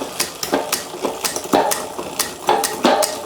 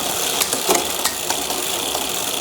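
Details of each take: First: HUP Featherweight youth XC race bike (carbon frame, Shimano XT 10-speed) after full rebuild that addressed worn drivetrain parts: crisp clicks as the chain steps across the cogs, then a smooth, even freewheel whir; healthy drivetrain shifting cleanly. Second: HUP youth XC bike, Shimano XT 10-speed rear shifting on the stand; fast chain whir with sharp clicks, slow to settle on downshifts from too much cable tension, fixed by turning the shifter barrel adjuster two turns in.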